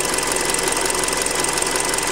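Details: Hyundai Creta at about 40,000 km, idling after a Liqui Moly flush, old oil said to be 5W-30: fast, busy ticking clatter over a steady idle, noisier than it should be; owner says it is louder than with factory 0W oil, especially cold. Cause suspected, not confirmed.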